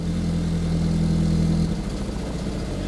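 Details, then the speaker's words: Audi TT Mk1 Roadster with known lumpy running and split wiring, idling during a full OBD2 scan: a steady low idle that suddenly breaks up, the beat faltering unevenly at tick-over; rough idle. "so I'm going to turn the engine on you can probably hear there it's a little bit lumpy"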